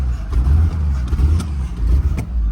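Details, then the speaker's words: Auction-yard V8 at about 90°F, no smoke: lumpy idle with uneven low pulses and dips, gradually settling and seeming smoother with each start. Rough running, cause unknown; the engine later overheated. "it's like when you first start it it'll run for a second it takes some revs it's not smoking or anything though no smoke or anything behind it it almost feels like it's starting to run"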